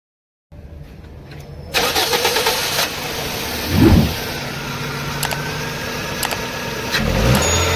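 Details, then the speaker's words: Toyota Corolla XLi petrol engine misfiring: catches and runs unevenly, flutters with lumpy surges when revved, caused by a burnt number 1 ignition coil. "Race دیتے ہی یہ پھڑپھڑا سے جاتی ہے، گاڑی missing کر رہی ہے. تو اس کی وجہ یہ ہے کہ اس کی 1 نمبر کوئل جلی ہوئی ہے."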